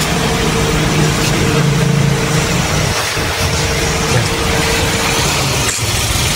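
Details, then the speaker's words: Mitsubishi Xpander at idle, road-tested in first gear: a few dull knocks from the front when steering is turned, also clunking over bumps despite earlier steering rack rebuild; rack found fine, loose tie rod end. "phía trước á nó vẫn kêu lập cụp rồi"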